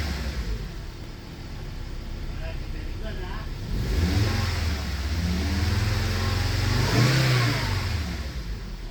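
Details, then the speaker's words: 2006 Volvo S40 just after water pump and timing belt replacement, first start: steady idle rising cleanly when revved and settling back, no ticking, knocking or belt noise, no check engine light; running properly. "all right guys so far so good there's no check engine light it's running smooth it's running good"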